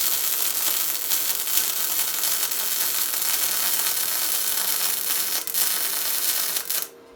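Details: Tesla MIG 260 MIG welder, torch slightly angled: steady, even fabric-tearing crackle with no harsh pops or spatter, ending abruptly at trigger release; a correctly set welder.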